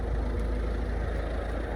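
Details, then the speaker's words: 2010 Ford Fiesta Zetec diesel from Copart, about 82,500 miles, just started, oil light on and due a service: steady even diesel idle clatter with no knocks, misses or rattles; engine sounds fine. "the engine sounds fine the fan's cutting"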